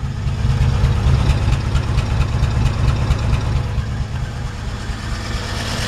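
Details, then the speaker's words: 1955 Chevrolet 3100 short-bed pickup: a smooth, low, even idle with a steady beat and no misses, ticks or knocks, no exhaust smoke; the engine runs good. "engine runs good"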